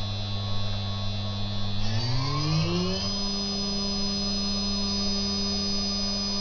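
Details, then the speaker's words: Higher-quality Chinese 3 kW water-cooled spindle with better bearings, stepped up in 6,000 rpm increments to 24,000 rpm: clean steady whine climbing smoothly in pitch, then holding an even tone with no rattle or roughness. "the purpose of this video is just to show the difference in noise level between these two spindles the one on the right is a 3 KW spindle which is a higher higher quality version with better bearings"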